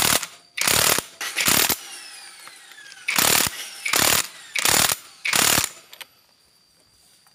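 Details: Honda New Supra Fit motorcycle, kick starter previously slipping, tested after reassembling kick starter parts: about six sharp rasping ratchet bursts each catching firmly with no free spin; kick starter now engaging normally.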